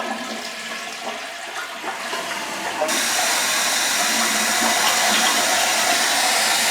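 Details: Toilet after flushing, tank refilling: loud, steady rushing hiss and vibration through the supply valve, started recently; caused by an air bubble trapped upstream of the valve, not fixed by cycling the valve.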